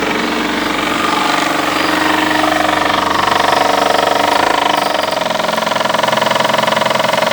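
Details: Fiat Uno engine running with a rough, rapid chattering rattle over the idle, about two beats a second; abnormal engine noise, source not identified.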